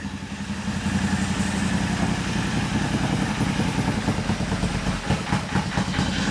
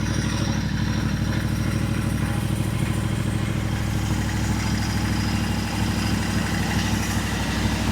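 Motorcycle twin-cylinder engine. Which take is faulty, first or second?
first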